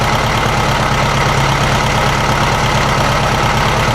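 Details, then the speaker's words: 1956 VW Beetle at idle with a loping, uneven stumble about three times a second; number 3 cylinder sparks but does not fire, a dead cylinder at low rpm. "Alright, we definitely have a problem with number 3. It's sparking, but it's obviously not firing."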